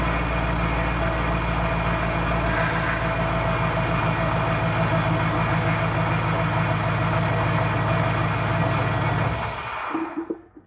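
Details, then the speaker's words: Biscayne running an LS 5.3 truck power steering pump with newly built hoses, front wheels off the ground: a faint steady whine over the thrumming V8 idle until shutdown. Fluid found low and topped up. Power steering pump whine. "a little bit of a whine there and looking in there the fluid level is low so I'm going to top it up"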